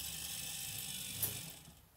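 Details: Light, even gear whirr with faint ratcheting from a Tesla coil winder that winds down smoothly and stops; the winder is running normally.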